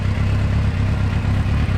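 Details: 2006 Suzuki GSX-R750 inline-four with a rough, lumpy, stumbling idle that seems not to fire on all 4 cylinders. It stalls at lights at times and has poor power under load. A faulty coil pack is suspected, but coil resistances matched.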